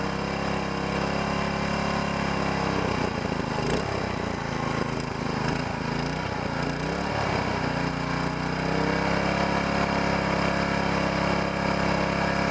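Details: Small single-cylinder mud motor (SPS Longtail) in break-in on 10W30 oil, revs eased up and down, never max throttle. Steady drone with no knocks or rattles; healthy new motor running in.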